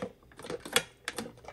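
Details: 2006 Maytag Ice2O MFI2568AES French door refrigerator; the ice dispenser latch clicks intermittently and the front display flickers, pointing to the temperature control board, which was replaced before for the same symptoms.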